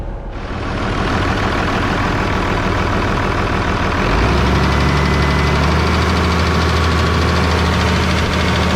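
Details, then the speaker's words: New Holland diesel tractor, warming up; when revved, a light regular tick about four per second over the diesel drone, source not pinned down; owner suspects valves or a hold-down; earlier an odd vibrating noise at idle. "i just uh was letting the track warm up here for a little bit and i wrapped it up and it sounds like it's making some ticking noise"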